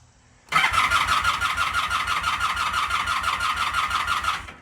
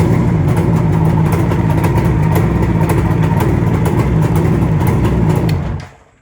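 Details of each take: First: Vintage motorcycle, owned about 25 years, with a sensitive ignition and non-ethanol fuel, on its old battery: starter spins the engine steadily at about three compressions a second with a thin whine but never fires. Owner suspects a weak battery. Crank, no start. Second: Vintage two-stroke motorcycle started on a new NOCO NLP14 lithium-ion battery after its old battery wouldn't turn it over: busy, crackly burble holds steady with even firing for several seconds before shutting off; running healthy.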